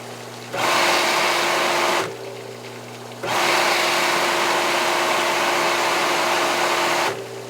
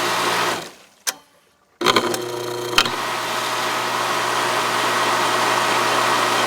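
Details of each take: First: Aqua-Flo XP2E hot tub pump motor after repairing a rattle from a loose bearing spinning in the housing: starts cleanly, steady even hum through low and high speed, no rattle; much quieter, normal run. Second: Aqua-Flo XP2E replacement pump motor on Dynasty hot tub, side panel on, switched between speeds: rough steady rattling whir at constant speed; rear bearing spun loose in its housing.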